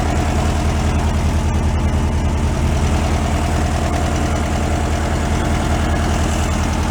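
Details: 1968 VW Beetle air-cooled engine, sat 5 years and still on old fuel awaiting change, at even idle: steady low chuff with no knocking or missing beats; idling smoothly and healthy.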